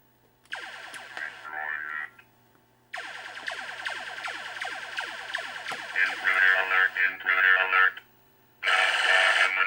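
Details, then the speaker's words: 1980 Stern Electronics Berzerk arcade game, customer's VSU speech board fitted with a known-good voice generator chip from another board set: robotic voice phrases ("humanoid") return between zapping effects, confirming original chip bad. Normal speech output. "it it that's it it's a bad chip so i will kind of research on what replacing one of these would cost"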